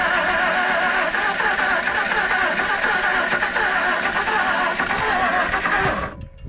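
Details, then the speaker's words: 1959 Edsel Ranger, last tagged 1973, first start attempt in 30+ years: steady fast cranking for about six seconds without catching, a plug wire found off; possibly out of gas or flooded, cause unconfirmed. "I don't think it's doing anything though crank it ain't cracking too good"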